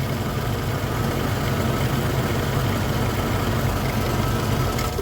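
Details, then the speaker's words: 2001 Chevrolet V8 truck idling then blipped after catalytic converter swap; rough rapid chuffing puff on the exhaust note from a leak at a poorly seated flange joint; exhaust smelled, joint needs seating further. "I feel like I smell exhaust hit the gas a little bit [Music] easy it's leaking all right right where I thought it"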